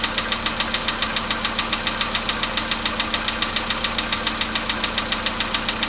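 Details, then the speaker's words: VW Polo Sedan, 99,329 km, cold start at about 15°C: sharp, even tick three to four times a second over a steady idle, like an anvil, fading as it warms over 5–10 minutes; engine knock of unknown source. "Вот такая вот теперь. Такие вот звуки страшные. Это прям вообще. Чуть-чуть, я не знаю, как наковальня."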